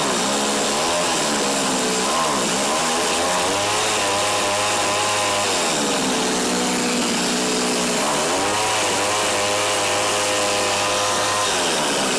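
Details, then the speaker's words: Tecumseh TC300 two-stroke on Eskimo ice auger, after repair, choke fully off, idle bumped up: buzzing and surging, revs rising and falling every few seconds instead of holding steady; owner suspects carb tuning issue. "yeah it doesn't like with the choke all the way off it could be a carb tuning issue though too right"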